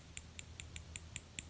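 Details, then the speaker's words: Gerber Kettlebell folding knife: crisp light clicks, about eight in under two seconds, as pocket clip, not sitting on back scale and very stiff, moves loosely against scale. "you can hear, is not actually sitting on the back scale, and it's got insane tension."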